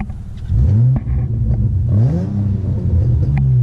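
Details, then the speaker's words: 2005 Nissan Altima SE-R, exhaust with no cats, no resonators and aftermarket mufflers: deep, throaty, loud raspy note swelling and falling as revs climb toward about 4000 rpm; loud exhaust note. "about 4000 it sounds actually pretty pretty good but I think a high-flow cat - no rez no mufflers would sound a lot better than it is now where it's no cats no resonators and it's got to ricey mufflers"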